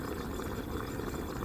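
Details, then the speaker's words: Ford 4.0 engine during an OTC 5609 cylinder leakage test at 50 psi: steady bubbling gurgle like boiling soup as air escapes past burnt, pitted intake valves not sealing, found on two cylinders; cause of a misfire. "en este caso este motor tiene hasta ahorita dos válvulas dañadas que no están sellando bien"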